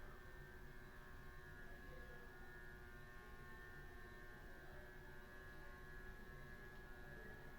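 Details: Vintage 80s/90s Hampton Bay Southwind ceiling fan, about 38 in, downrod mounted, on low with a dimmer turned all the way down: quiet spin with a steady, buzzy electrical hum that doesn't fade as the speed drops; low speed is very weak, hum source unclear.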